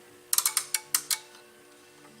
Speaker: applying ground to pin one of the ribbon cable common normally closed is now open and then normally open to common is now closed we've energized that relay